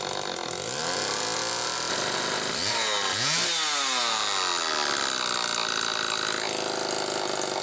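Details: XL-2 chainsaw on test run after crankcase reseal and spark plug wire repair: high scream that sags and surges unevenly, racing because the idle speed screw was almost all the way in; wrong carb circuit plate gasket also left the carb badly out of tune.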